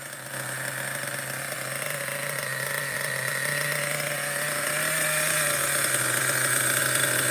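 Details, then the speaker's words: Schumacher XTR-3E nitro stadium truck on first fire-up, engine very cold: high, steady buzzing idle with slight rise in pitch as it warms, even and unbroken; settling down, normal cold idle. "so far the idle is relatively okay let's let it warm up a little bit very cold I think it's settled down a little bit now"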